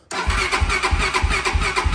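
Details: Honda TRX400EX ATV, sat with old dried fuel, choke on, weak battery: starter cranks in even pulses about three per second, engine catches briefly but never runs; hard starting, battery and kill switch issue suspected, engine later found blown.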